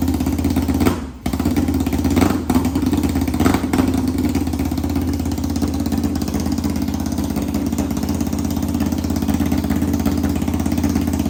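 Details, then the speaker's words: 1991 Kawasaki Ninja 500 engine in a 500cc mini bike, restarted with no muffler: very loud raw exhaust bark settling into a fast, slightly uneven idle; lean running only suspected, carb to be rejetted. "It really needs a muffler. Really bad. This thing is so loud. It's actually insane."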